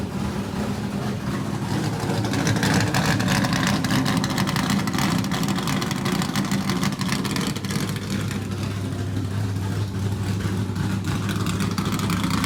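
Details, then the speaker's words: Richard Petty race car, Pontiac-headed small block Chevrolet V8, first in-car run in years after new fuel cell (run off the car weeks earlier): loud, deep, choppy burble at steady speed, no knocks or ticks; good oil pressure, normal running. "well that's the first time this thing has run in a long time we did Crank It Up off the car just you know a couple of weeks ago"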